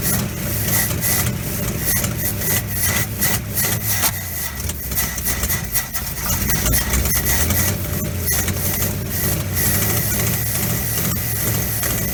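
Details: 1957 GMC 370 2-ton truck, original Pontiac 347 revived after 20 years seized, 6625 miles: lumpy idle, irregular beat about three a second, loose clattering, smoky from diesel and penetrating oil in cylinders; possible misfire, owner unsure all cylinders fire.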